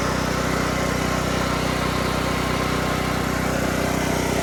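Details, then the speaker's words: Harbor Freight Predator 8750 generator with no AC output, before replacing brushes and voltage regulator: engine starts easily and runs at a steady even speed with no knocks, misses or surging; engine fine, generator produces no power. "so right now the generator does not function but the engine runs perfectly"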